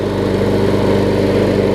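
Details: Troy-Bilt push mower, Briggs & Stratton Quantum engine with new carburetor, auto choke converted to primer bulb; steady, even single-cylinder chug with no surging or misfire, normal running.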